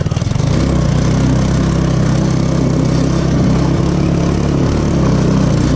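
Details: 150cc Yerfdog go-kart single-cylinder engine, previously non-running, idling after about 20 bucks of repairs; steady, even putter at idle with no misses or stumbles; running normally.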